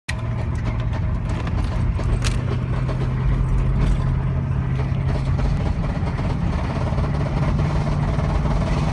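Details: 2000 Ford Expedition 4.6 V8, about 264,000 miles, while driving: a steady drone with a rapid, faint knocking under the engine note; shifts smoothly and otherwise feels normal.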